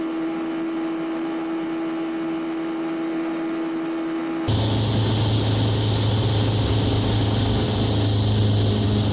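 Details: Onex with turbocharged Aerovee engine in flight, running with the intake hose fallen off its compression fitting, a big intake leak blowing out fuel-air mixture. Steady, even drone with wind rush, no knocks or rough beats; engine still running smoothly.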